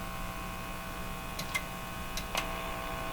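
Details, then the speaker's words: Hallicrafters TW2000 communications receiver after IF alignment, volume turned high: constant low buzzy hum with a few faint clicks in the audio output; source of the hum not yet found. "Oh, what a mess. Where did this horrifying hum come from?"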